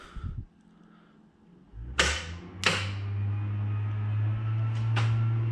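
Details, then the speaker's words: Jeep Cherokee with an LS engine swap, after throttle position sensor calibration: a couple of sharp clicks, then only a steady hum and no cranking, because the starter wire wasn't hooked up, not a dead battery. "battery's dead sounds like my battery's dead so it helps when you have the starter wire on hooked up so it's not trying to send all the voltage to yellow thing i thought my battery is dead but no"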